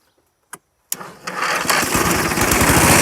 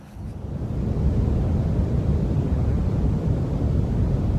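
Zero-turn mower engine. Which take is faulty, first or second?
second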